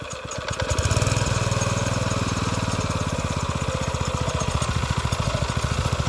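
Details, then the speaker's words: Garden tiller's small single-cylinder engine, previously seized and repaired, catches and settles into an even steady putter at idle with no stumbling or smoke; running normally. "just doing it on idle for now it engines running great not even smoking whatsoever"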